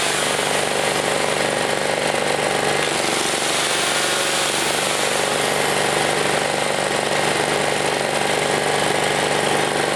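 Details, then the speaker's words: Chinese Honda-clone generator recovered from a field, repaired and started to test power output: loud, steady, even engine roar with no misses, knocks or surging, doesn't smoke, good power; normal running. "Wow she runs all right guys worth it very worth it yeah nice puts up good powered motor doesn't smoke nice"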